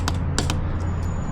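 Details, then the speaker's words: Bicycle saddle bolt tightened with a 1/4" 2–24 Nm torque wrench set to 10 Nm (saddle spec 8–10): a few sharp dry clicks over a low room hum as the wrench releases at its set torque, showing the bolt is properly tightened. "When cracking with a torque wrench, hold the end and squeeze . If you hear a clicking sound like this,"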